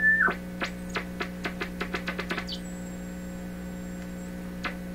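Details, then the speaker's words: Pye 39HC shortwave receiver on bench with signal generator, no AVC response: steady low hum with a high thin whistle and clicks, an unexplained tone in the output, cause not yet traced. "the mystery tone I really I really cannot imagine what that is but I I'm sure it's a common radio problem"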